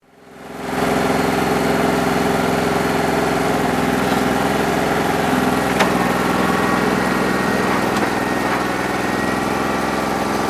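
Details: New Holland 1320 tractor diesel with a bad injector, run through 3 hours of loader work hoping it would loosen up when hot, no improvement; steady clatter with slightly uneven beat, one cylinder not firing cleanly; rough running from faulty injector.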